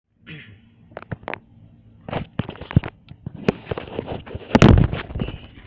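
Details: 1995 Mitsubishi Eclipse GS non-turbo automatic. Loud, irregular clicks at key-on and while trying to start, plus a buzzing unlike the door buzzer; the engine never cranks. No-start, cause unclear.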